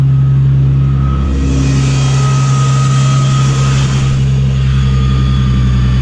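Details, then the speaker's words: Supercharged Nissan 350Z after retightening leaking high-pressure fuel pump line: smooth steady low idle, even drone with faint whine on top, no misses or ticking; sounds much better than before. "well that certainly sounds much better than last time let's see if we're still leaking"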